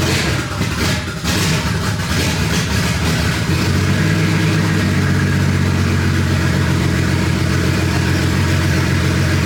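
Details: BMW 335i E90 N54 idling right after oil pan and valve cover gasket job with fresh Liqui Moly 5W40: strong deep internal knock, three to four a second; bearing shavings in oil, spun rod bearing.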